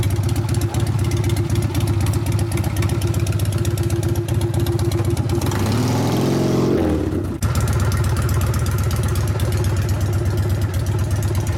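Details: 1999 Harley 80ci Evo rigid on road test after repair of a previous clanking: strong even V-twin thump pulling through revs, easing off and picking up without clatter; runs tight and pulls well.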